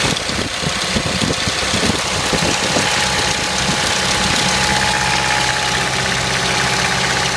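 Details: 1993 Mitsubishi Pajero 2.8 diesel, automatic, at idle: an uneven clattering rattle, loudest in the first few seconds, then settling. The owner suspects the timing chain rattling; the cause is unconfirmed.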